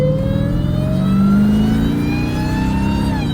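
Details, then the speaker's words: 707hp Jeep Trackhawk supercharged V8 in track mode 50-50 under hard acceleration in traffic: high whine rising smoothly with revs over deep V8 roar; normal supercharger whine. "Telling y'all, bro, I drive this truck every single day, and all I want to hear is that whine. I don't want to hear nothing else."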